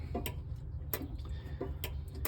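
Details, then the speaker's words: Kenmore Elite SmartHeat dryer, model 110.97088601, belt off: belt tensioner switch clicking sharply at uneven intervals as the arm moves, which stops the motor starting without the belt; normal tensioner switch click. "but um, the reason for that is here's a belt tensioner and when the belt's on, it pulls it up and you can hear it click."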